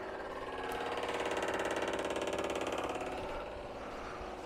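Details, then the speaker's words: Morris 1300 (BMC 1300) with the ignition on: rapid, even ticking about three and a half times a second with a buzzy chatter, the noisy old aftermarket electric fuel pump working. "let's just turn on the ignition you also got to hear how noisy this pump is hear that"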